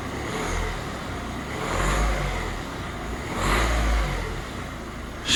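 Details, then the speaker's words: Ford Focus diesel after cam cover refit, not yet warm: smooth idle with two light throttle blips rising cleanly and settling back evenly, no knocks or misses; no dash or oil pressure lights. "so that's good i don't want to rev it too much but i'll just give it a little bit"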